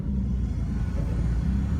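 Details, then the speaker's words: CM Valiant at idle with its newly fitted small radial air-conditioning compressor engaged: a low, even rumble that holds steady with no dip or labouring. The compressor is barely audible and adds hardly any load. "someone tell me these compressors are noisy that's on that air comes running i can't hear that compressor going at all he's blowing beautiful and look at that you can't even hear it didn't change bugger all"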